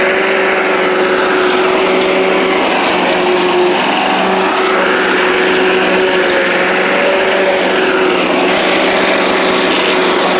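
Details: Old Rover Turbothrust mower built in Brisbane, Australia, no battery fitted, cutting grass into the bagger: a steady high-pitched drone holding speed, no misses or surging. Normal running under load; owner thinks the brake shoe may need replacing.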